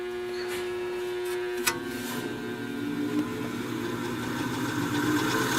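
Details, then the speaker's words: 1950s Patton 18-inch fan, 3.2 A GE shaded-pole single-bearing motor, after switching high then low: strained hum dropping in pitch, rough drag as motor crawls below speed; bearing seized, won't spin freely. "this is all we get now it is seized up does not want to spin freely at all"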